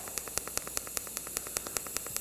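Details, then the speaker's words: Arccaptain 200A AC/DC TIG welder, pulse TIG at 75 A, set to 5 pulses per second; steady arc hiss with sharp regular pulses, even and consistent, pulse working as it should. "Oh, okay, so we're pulsing. Whoa, that's a little trippy. I couldn't tell you exactly what that speed is, but it's maybe, I don't know, 4 or 5 pulses a second, something like that."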